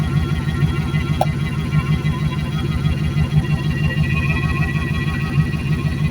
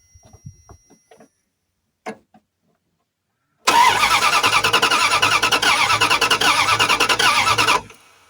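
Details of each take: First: Junked Dodge Dakota parts truck, first start after sitting, idling to seat rings before any revving: steady deep even rumble, no knocks or misses; normal warm-up idle, oil pressure a little low but normal. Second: Junked Dodge Dakota sat in a junkyard, turns over only in neutral: starter spins evenly about three turns a second for four seconds, never fires, no fuel pump hum; owner suspects a bad fuel pump.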